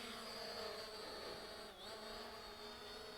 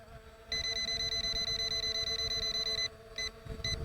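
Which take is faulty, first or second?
second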